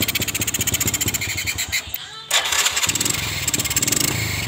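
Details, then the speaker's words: Carbureted motorcycle idling heavy, uneven and stumbling, nearly dying, from a wrongly set carburetor air screw, before adjustment to find the lightest-sounding setting. "kalau disini posisi mesin terasa berat yang suaranya terasa berat dan terasa mbrebet sekali"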